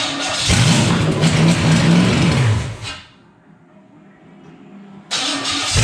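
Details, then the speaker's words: Early-80s G-Body Malibu 305 (5.0 L) small-block Chevy on run stand, with swapped earlier HEI distributor and new fuel pump: revs hard, drops back, never climbs cleanly; barely reaches 5,000 rpm. "It can barely get 5,000 RPMs. This is going to be a terrible race car to do."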